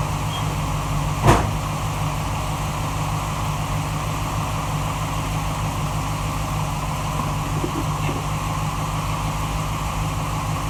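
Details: 1947 Ford Tudor street rod, freshly rebuilt zero-mile V8 with new 9.5:1 pistons and Holley carb: whistle cured, traced to the carb base; stuck-open secondaries freed; steady even low-rumble idle with no whistle on top.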